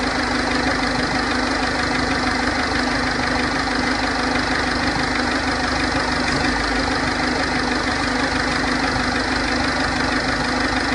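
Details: 2006 1.4 TDCi diesel at steady idle: a light, fairly regular tick about twice a second over the clatter. The cause is unknown.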